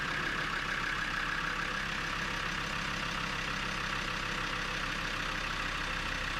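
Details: Land Rover Discovery 2 after replacing the slightly leaking radiator, coolant topped up and battery reconnected, engine not yet at full temperature: steady, even mid-range idle hum with no knocks or misses; normal idle.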